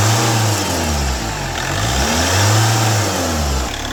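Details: 2010 Chevrolet Captiva diesel after full turbo intake and fuel system cleaning of heavy carbon sludge, which had made initial pull feel heavy: revs rise and fall in smooth sweeps with no knock or rattle; engine sounds healthy.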